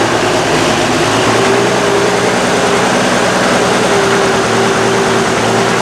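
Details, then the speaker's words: Oliver 88 Wheatland tractor, engine possibly Wisconsin per tractor data, newly on the lot with some issues; steady, even, smooth low rumble with no knocks or misses: normal engine running. "so well guys here we go the first oliver tractor on crazyd's equipment i haven't had an oliver on the law in years so this is kind of a neat ad again um i just love to listen to this tractor run"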